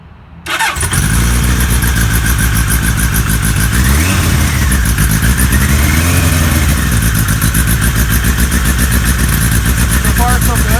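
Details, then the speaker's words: 1978 Kawasaki KZ1000A motorcycle, fully cold at about 50–55°F, on choke: catches at once and settles into a fast, even patter with slow rise and fall in revs; normal cold start. "motor is perfectly cold so it's like 50 some degrees outside right now low 50s so we've got to choke choke is up it's on bikes perfectly cold"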